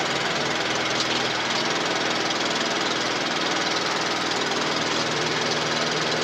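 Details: Briggs and Stratton 450E lawnmower engine, previously cutting out after seconds, likely from stale fuel after standing years, after service: small single-cylinder ticking over steadily with no misses or surging; runs smoothly.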